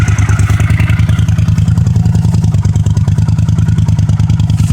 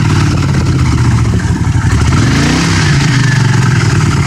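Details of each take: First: 1982 Honda CX500 Custom, 12,000 miles, unstarted about 12 years, cold at about 30°F: steady, even low putter at idle, no ticking or puffing, no exhaust leaks; normal idle. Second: 1982 Honda CX500 Custom with 12,000 miles, first start in over ten years, cold weather. It blips up, then the revs drift back down slowly instead of dropping to idle. Idle hangs slightly from a vacuum leak, possibly at a carb boot.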